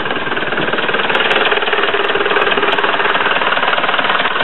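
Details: Ford Transit Mk6 Duratorq diesel, just converted from the VP30 electronic pump to a mechanical Bosch VE pump, idling in the engine bay after first start; steady clatter, an even knock about twice a second, no misses or extra noises, healthy.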